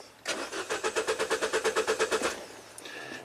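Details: Mini Cooper cranking steadily at about three turns a second for two seconds with no firing at all; an engine computer input fed from a relay and fuse F010 shows 0 volts; crank no-start from no spark.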